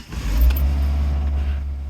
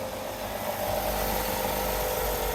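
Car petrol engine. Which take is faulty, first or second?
first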